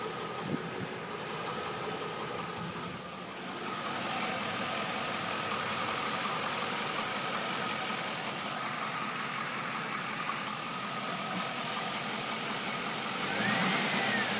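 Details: Stock 2002 Chevrolet Camaro Z28 LS1 V8 idling with a steady tick-knock about four times a second; owner first thought a bearing, mechanics say a lifter; unconfirmed.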